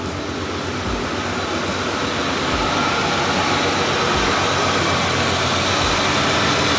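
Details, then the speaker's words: $700 Ford Bronco II, fresh gas run through it: even engine drone with a faint pulse about four times a second; seems to be running better, owner suspects just a tune-up is needed, unconfirmed. "it runs, I think just getting some gas ran through it, it seems to be running better. Maybe just a tune-up will be all we need."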